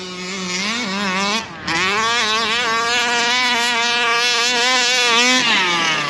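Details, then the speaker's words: Rovan Baja 5B RC car two-stroke, back out after long shelf storage, after carburettor adjustment with screwdriver: buzzes and climbs cleanly as throttle opens, pitch holding smooth at top end without stumbling; sounds better on top end. "That's a bit better. Sounds a bit better on that top end."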